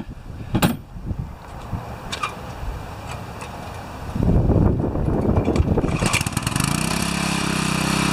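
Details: Four-horsepower Briggs & Stratton vertical pressure washer after unloader bypass repair, 8 mm lock nut set: after handling noise the small engine settles into a steady, even low drone; pump holding pressure normally, final test.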